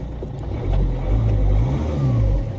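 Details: Old Ford Mondeo diesel with 406,000 miles, bought blind at auction, with no dashboard warning lights: deep, smooth rumble that swells up and settles cleanly when revved, no knocks or rattles; the engine sounds healthy.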